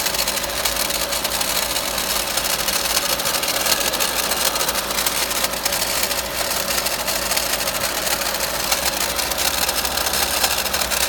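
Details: VW Golf Mk5 1.4 TSI (170bhp), 66,000 miles, at idle: constant metallic, tinny rattle; owner narrowed it down to the water pump magnetic clutch after ruling out the alternator pulley and timing chain.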